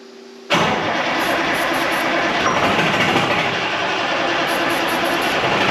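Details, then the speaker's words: 1976 Ford F250 with a swapped Detroit Diesel 4-53T and 4-speed manual, sitting since 1996: steady high starter whir spinning the engine for seconds with no firing beat; owner suspects a sheared fuel pump drive key, no fuel reaching the line. "got to be at Drive key sheared got to be nothing no fuel on this whatsoever"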